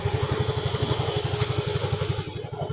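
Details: Mio i 125 scooter that would not start, after the fix: even, quick low putter at about a dozen pulses a second with no misses or knocks; normal healthy idle.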